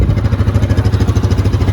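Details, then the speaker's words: Used Yamaha Viking side-by-side, started cold to check for smoke: quick, even low thumping at a steady rate with no misses, knocks or rattles; idle sounds smooth and healthy. "but if you start it cold if you're gonna smoke it's gonna smoke right then it sounds pretty good"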